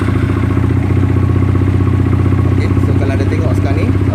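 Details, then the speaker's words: SYM VF3i scooter after fitting a new throttle position sensor (TPS); steady single-cylinder putter with even beat, no hunting, RPM stable at 2000; normal idle. "okey, RPM stabil, okey, pada kedudukan 2000. Okey, tak ada sebarang masalah."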